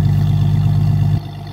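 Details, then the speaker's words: 1992 Jeep Cherokee XJ exhaust with no catalytic converter and stock muffler: deep, heavy low rumble that falls off sharply as revs drop. "I like this sounds like the no cat and stock muffler sound receipt them"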